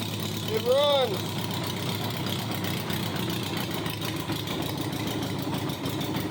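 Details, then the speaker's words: 1987 Honda Gold Wing GL1200 parts bike, electrical problems, almost out of gas, running after battery charged: steady, even flat-four idle with crisp open-header bark, no misses or knocks; normal idle, needs strong battery. "almost out of gas it runs well these gold wings has got to have a very very strong battery in order to run correctly"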